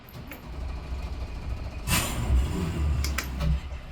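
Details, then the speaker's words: Mercury V8 outboard on an Aquila 36 being diagnosed for a no-start: the port engine, with both key switches on and good voltage, turns over briefly, catches at once and settles into a steady low rumble, a clean normal start; the starboard engine does nothing. "okay well that one starts see we can get this starboard nothing"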